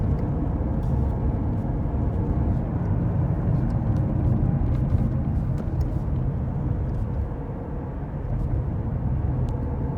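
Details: Worn hub bearing heard from a tyre while cruising, recorded from the passenger side: a deep steady growling drone under road noise, heard as gogogo, rururu, won-won, gorogoro.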